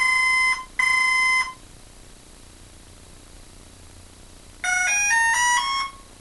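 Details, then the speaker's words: Hobbyking F4U Funfighter RC plane with FlySky six-channel receiver bound to Turnigy 9x: two clear beeps, a pause, then a quick run of rising chirps, repeating; the motor won't start. Owner suspects a bad speed controller, unconfirmed. "okay that's the complete segment anyone knows what's wrong with that please tell me uh i think it's a bum speed controller"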